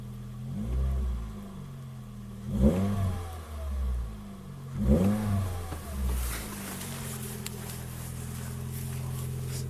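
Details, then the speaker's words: First-generation Toyota Yaris 1.5 TS: after a sudden bang while driving, a raspy, blatty rally-like exhaust note swelling under throttle, worst on acceleration and above 80–90 km/h; blown rear silencer leaking exhaust. "on roulait l'autre jour et d'un coup on entend un claque et ensuite est arrivé ce bruit ce bruit légèrement rallye on pourrait dire"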